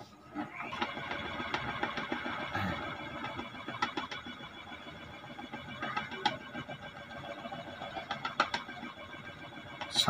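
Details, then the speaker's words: Ceiling fan running with khat-khat noise: irregular light clicking and knocking over a soft motor hum, a loose rattle while it spins; to be fixed at home without changing the bearing. "मेरे पास एक question है जो कि चलता है लेकिन वह जरा आवाज करता है खराब होता है"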